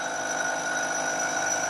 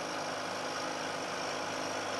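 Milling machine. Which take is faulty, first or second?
first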